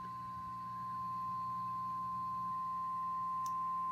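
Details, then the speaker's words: Fender '63 Vibroverb reissue with reverb turned up: after a played note a pure, steady high-pitched ring swells and keeps building even with volume down, and stops when reverb is lowered or the tank top is pressed; reverb pan feedback suspected. "i've turned the volume on the amp all the way down and it'll just continue to build if i turn the reverb down it goes away"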